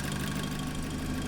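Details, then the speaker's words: VW Caddy engine before tuning, with high pressure fuel pump internals already done. Steady, even tick-over with a smooth low hum and no misses. It sounds good at idle. "It sounds good on tick over, so that's a good start."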